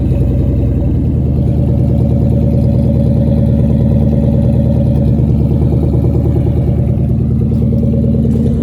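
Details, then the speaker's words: 1996 Ford Mustang GT convertible, in neutral: deep, loud, even lumpy V8 burble with no knocks or ticks; healthy idle and exhaust note. "Everything's already looking better than what it was doing. Now that's what it's supposed to sound like."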